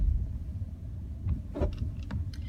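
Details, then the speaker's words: 2015 Hyundai Elantra SE at 47 to 48°F over speed bumps: a few short creaks and clunks from the front, rear quiet. It sounds like a dry suspension joint squeaking; cause suspected, not confirmed. "And I can isolate the noise actually only on speed bumps."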